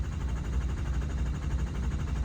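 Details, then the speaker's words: Hot no-start diesel: a very long crank that doesn't catch yet while injection control pressure creeps up slowly, about 290 psi against nearly 700 commanded. Cause not confirmed; dummy plugs are suspected. "Oh, okay, that was a very long start, but that's the problem I got here. It's just ICP is just taking way too long to creep up."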